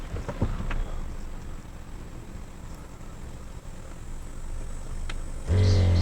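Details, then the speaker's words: VR6 VW Beetle (MK4), ABS module bleed run from OBD11 scan tool basic settings group 1 with brake pedal held hard: quiet cabin, then steady low electric buzz holds as the ABS pump runs to purge air. "You can hear the pump activating, letting any air out."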